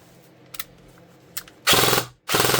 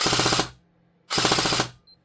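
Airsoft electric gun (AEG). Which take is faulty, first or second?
second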